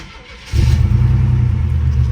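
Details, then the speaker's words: 1992 SUV, hot day, first start-up: fires right up, then a slightly uneven, stumbling low rumble; a manifold leak, possibly a broken stud, is suspected and maybe a dead cylinder, unconfirmed. "fires right up but as you can hear it's got a stumble it's got a manifold leak on this side which sucks cuz this is the tough side"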